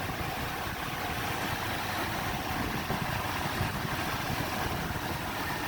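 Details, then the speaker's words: Toyota 2UZ-FE 4.7 V8 after a timing belt kit and water pump job plus a new fan clutch, accessory belt, tensioner and idler: it now idles with a smooth, even hum, and the earlier squeal, thought to be the belt or fan clutch, is gone. "squealing before could have been a belt could have been fan lunch everything sounds smooth right now"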